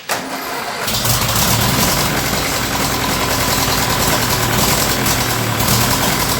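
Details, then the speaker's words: Ferguson TEA20 with the standard engine, after a valve adjustment and a big exhaust leak fix, running rough with an irregular crackle; another carburetor didn't help. "It don't want to run, man. That engine is in really, really, really bad shape. I tried another carburetor on it. I've tried everything, and I just can't get that crackle out of it."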